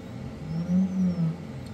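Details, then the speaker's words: AnyCubic Photon M3 Max auto-feed unit not working; steady low pump hum with gurgling swells as air bubbles hard through the feed bottle while nothing comes out, a loose fitting found afterward: heavy bubbling in auto-feed bottle. "okay so this hole is fine cuz I can hear that so that is bubbling like crazy so something on the inside"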